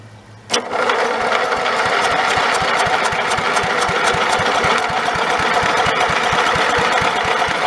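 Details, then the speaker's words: Snapper 30083 mower engine abandoned 20–25 years, borrowed carburetor and electric starter fitted: even cranking at about four turns a second with no firing; old magnetron ignition module dead, no spark. "well back to the drawing board i guess old magnetron unit must be dead"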